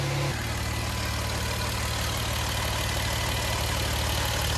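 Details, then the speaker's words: 2011 Jeep Wrangler 3.8 V6 after repair for P0301–P0306 cylinder misfire codes, first start after reassembly: steady, even idle with a smooth low beat and no stumble or skipped firing; normal idle. "let's start this thing up [Music] that sounds pretty good so far no more"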